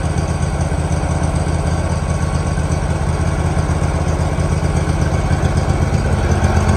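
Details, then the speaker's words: 2018 Hustler Raptor SD 54-inch mower, Kawasaki FR691V V-twin, started with choke after head gasket and valve seal replacement, shroud off. Steady low even idle, about four beats/s, no misses, knocks or hunting; some smoke from spilled oil burning off, running better. Normal idle. "there it is going to let it Dole here a second big the smoke a little bit turn off some of that running better"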